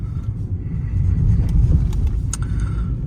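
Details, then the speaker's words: Peugeot 308 (EP6) driven over concrete slabs after replacing polyurethane stabilizer links with regular ones: only low, steady road rumble, with no knocks at the joints. The earlier knocks are gone; suspension quiet. "Не, всё реально все стуки пропали. Всё, красота там."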